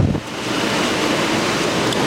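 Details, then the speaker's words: Early-1960s Philco Noiseless air conditioner under restoration, running with cover off: even rushing fan air with steady background hum, no rattles or knocks; fan motor spins freely, compressor sounds good; normal running. "it starts right up it runs beautifully that compressor sounds really good"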